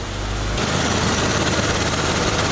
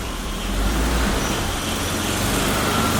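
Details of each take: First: BMW E34 barn find, sat 10 years, just after first start following a week of diagnosis: quiet, even idle with a steady low hum, no ticking, knocking or stumbling, no smoke. Normal idle. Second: BMW E34 barn find, sat 10 years, cold start after replacing a leaking fuel line: uneven, loping, stumbling idle with a hiss underneath; holds with a little throttle. Rough idle pointed to a vacuum leak at the idle valve boot; owner also suspects idle air control.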